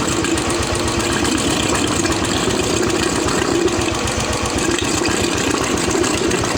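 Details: Royal Enfield UCE Electra (Bullet) single-cylinder after engine-noise repair, with head gasket, head, rocker arms, carburettor and silencer packing refitted: steady even idle thump, no knocking or rattle; oil circulation perfect; smooth healthy idle.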